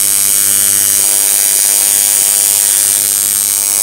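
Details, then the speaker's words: Coil tattoo machine driven by an electronic pulse generator at 100 Hz, duty cycle raised to about 40%: fast, thin buzz with an uneven, faltering edge as running decays from too high a duty cycle. "then at about 40 it begins to decay right there"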